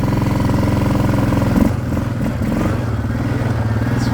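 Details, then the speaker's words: Yamaha Grizzly 600 ATV with new aftermarket carburetor on a test ride, idle set high; engine runs fairly steadily then sags and turns uneven as revs drop, wanting to die — low-RPM stumble, owner suspects jet size or air mixture. "It's not bad though. You can hear on the low end it wants to die. So I'm guessing that's just, it could be the air mixture ratio also, but I'm guessing it's a jet."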